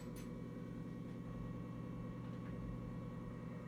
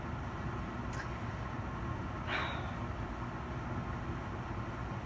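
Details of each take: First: Coleman forced-air furnace after pressure switch replacement: quiet, steady low hum when turned on, then the unit shuts off; owner suspects the switch wires need to be in a certain position; not working. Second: Coleman forced-air furnace after the pressure switch was replaced: it finally lights and runs with a steady, even low roar of burner and blower, no surging, clicking or cycling; owner suspects the old switch was bad; normal furnace operation.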